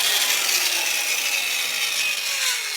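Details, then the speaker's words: Andis / Heiniger Extra clipper running with its cover off before rebuild: harsh, gritty, high-pitched rasping grind holds steady the whole time; teardown confirms a stripped gear. "it sounds like there's a gear stripping up in here, so I'm going to go and take that apart."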